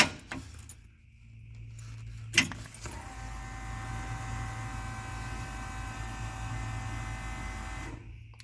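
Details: Ford engine with Holley Sniper Stealth EFI, key-on cycle with foot on accelerator so no fuel enters engine: click, then steady electric fuel pump hum about five seconds cutting off cleanly; normal prime.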